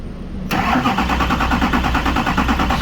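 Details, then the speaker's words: Duramax diesel cranking with a Carscope i-Tester relative compression and rail pressure test: steady, even cranking with no start. Rail pressure exceeds 30–40 MPa, enough to run, so lack of injector control is suspected. "we're at over 40 so that should be more than enough for this to start and run uh but so that what that tells me is the fuel rail has enough pressure to start and run but it we must not have injector control"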